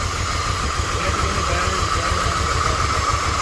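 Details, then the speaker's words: 1997 Dodge Dakota 3.9 V6, first start after a new timing chain, heads, O2 sensors and sensors, plus a new battery: soft, even low pulsing under a light hiss, no misses or knocks, no longer shaking. "Hey, it's a lot smoother. It's not shaking. Come check it out. The engine doesn't even shake now."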